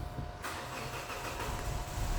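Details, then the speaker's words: Petrol EFI vehicle, hard start in the mornings: starter grinds a couple of seconds before firing as the pump rebuilds pressure; in-tank regulator popped out of an old filter housing leaks pressure back to the tank, so no holding pressure. "yeah it takes some time to build up and then it starts and i switch that off and you'll see that fuel pressure stuffed"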